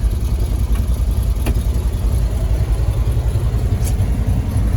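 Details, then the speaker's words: 1971 Ford F250 Highboy V8 with freshly overhauled engine and aftermarket cam, cold start in snow after sitting since September, manual choke high idle: deep, uneven loping idle about three to four beats a second with an exhaust manifold donut leak. "gonna be a little bit lopey because it's got a cam now but we'll get her set just right"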